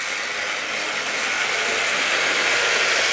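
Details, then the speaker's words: Tri-ang RS8 Midlander loco after swapping to another controller, pulling coaches around the Super 4 track: even high buzzing whir with fine ratchety texture, no low rumble, less harsh; normal running. "Still a little bit noisy. I mean, these old toy trains are noisy items, but definitely not quite so harsh now we're on this other controller."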